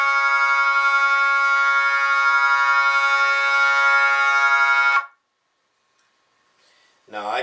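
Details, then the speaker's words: Jensen V21 Leslie upper horn driver fed by a Leslie 122 amplifier and a 1963 Hammond B3 organ, before the diaphragm is reset: a steady organ note with a rough, raspy buzz on top; the diaphragm is rubbing. "put my earplugs on in make sure i can still hear i can still hear the buzzing"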